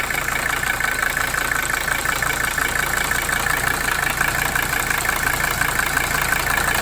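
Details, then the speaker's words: 1982 Mercedes 300SD diesel after fitting bench-tested injectors: loose uneven idle clatter with hissy rasp, about 85 beats a minute, smoke and unchanged blow-by; likely low compression. "there's still a lot of smoke. It's probably due to the low compression then, unfortunately."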